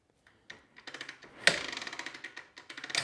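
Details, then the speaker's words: Kawasaki KLX110, kickstarting: dry uneven clicking as the kickstarter swings through, catching only once in a while; one-way sprag clutch inside centrifugal clutch slipping, not engaging. "yep that's the first problem there's a one-way sprag clutch inside this centrifugal clutch in here and that's not catching all the time like it should so we're gonna have to dig into that and find out what's going on"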